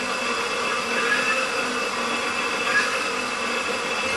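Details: Enova EV traction motor for a BMW E31 840Ci conversion, bench run toward 6000 rpm with a 256-pulse encoder and rewired grounds: steady whir with an even thin high tone, no knocking or grinding; spinning cleanly.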